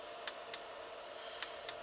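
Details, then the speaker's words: H-Calorie Chinese diesel heater with homemade controller, first test, after flame-out with battery charger off: sharp metallic ticks in uneven pairs over faint hum; dosing pump giving very long on-pulses, pulse generator not pulsing correctly. "then something horribly uh wrong with the way that pump is dosing pump is pumped in if I switch off a battery charger you can probably hear it better you can hear that very long on pulses which is not what we were looking for"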